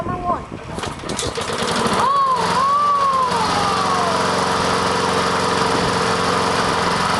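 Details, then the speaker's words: Honda lawn mower cold-started with choke after sitting unused all year; catches at once, revs briefly, then settles into a steady even drone with no misses or knocks, running normally. "listen to that thing purr isn't it beautiful"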